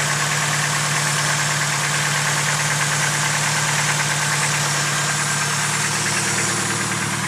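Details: Fully built engine, a few months after the build: quick, even light top-end ticking at steady idle, about three taps a second, seemingly from the valvetrain; lifter tick suspected, not confirmed.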